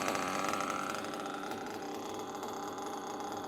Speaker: it almost sounds like the drivetrain is turning but it's not so when you hear that you know that your rear bearing is toast and you need to change it